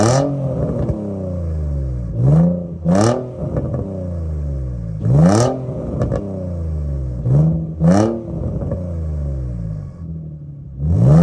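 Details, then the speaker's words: G35 drift car with an aftermarket, likely eBay, exhaust after sitting all winter. Several sharp revs once warmed, each blip rising and falling with a raspy, leaky edge; exhaust leak. "aftermarket exhaust, I honestly don't know the name brand. It's probably, I gotta say, most likely an eBay exhaust, but it's leaking anyway."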